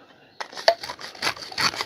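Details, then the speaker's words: Hand vacuum pump on a sous-vide container, Amazon vs Milord comparison: uneven dry scraping on each stroke, rasping and catching. A kind of rail inside is rubbing; owner says it is wearing and breaking down. "t'entends que ça frotte? T'entends que ça frotte? Il y a une espèce de rail, là. C'est en train de tout se défoncer."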